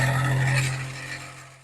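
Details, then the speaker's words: Kitchen exhaust fan, small unit, running on power and held in hand: loud hum with rough scraping edge; dirt getting inside in the kitchen wore/cut the motor bush and shaft, causing the noise. "तो देखिए दोस्तों होता क्या है कि जब हम रसोई में लगाते हैं तो इसमें क्या है कि मिट्टी वगैरह चली जाती है जिसके कारण इसका जो बु फफ्ट है वो कट जाता है"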